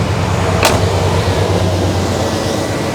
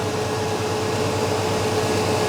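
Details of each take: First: 1989 Chevy K1500 with a mechanical fan, warm idle right after fan clutch replacement: a loud, steady, even rush of air as the new clutch locks up, with its spring heated by hot air drawn through the radiator; pulling hard as it should. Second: 1989 Chevy K1500, mechanical fan with a tight fan clutch, cold engine not run for about 16 hours, idling. A loud steady rushing roar as the fan pulls heavy air across the radiator while cold: excessive fan noise when cold.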